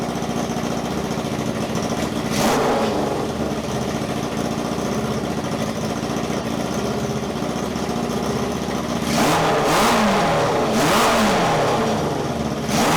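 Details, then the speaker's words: 1978 cafe scrambler hybrid bike build: the engine runs with a quick, steady tick of about four per second over the exhaust note. Blamed on an exhaust leak, though they doubt it and suspect the noise comes from inside the valve box. "it sounds the same as when it's running before and it's just the farting from the exhaust it's leaking the ticking that we're worried about"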